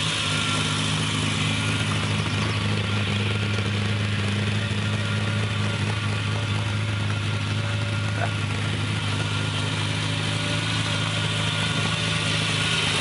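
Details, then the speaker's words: 1965 Ferrari 330 GT 2+2 V12 started from cold: deep, even idle with a steady low beat, no knocks or misfires while warming up; normal cold idle. "the 2 plus two has always been a very expensive ferari I just love the noise it makes"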